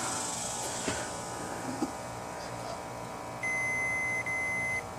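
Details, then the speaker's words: Snapper rear-engine rider, 12 hp Briggs & Stratton, no spark: continuity tester gives a steady high beep for about 1.5 seconds with key on; ignition kill wire still shorted to ground, grounding the magneto. "so at this point the key is on so it should not be grounded right here right because if it's grounded here it's going to short out the magneto there we go so we still have a short going on here somewhere"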